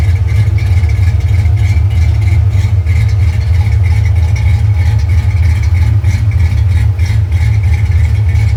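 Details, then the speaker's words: Cammed V8 after rebuild with new Trick Flow valve springs, new rings and decked heads: deep, loud lumpy loping idle, steady and even; normal healthy cammed idle. "the cam sounds so much better now as a matter of fact let's go ahead and start it up and let you hear what the cam sounds like now versus before"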